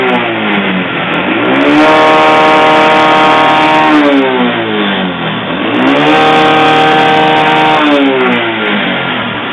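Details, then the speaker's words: Motorcycle run short of oil, mic placed near the engine: two throttle blips with a metallic kletek-kletek rattle and white smoke; piston slap, piston found slightly scored. "Ada bunyi kletek-kletek dan ketika digas di sini ngasap putih."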